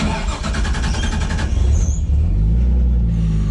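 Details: RB25DET in an S14, which had died from a fuel problem, after a new fuel filter, fuel line and o-ring: about 1.5 seconds of rapid cranking, then it catches and settles into a steady, even idle.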